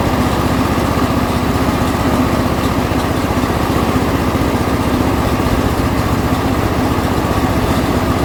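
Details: John Deere L120 lawn tractor small single after carburetor replacement, fired up on choke at about half throttle without priming, chugging steadily and evenly; running properly.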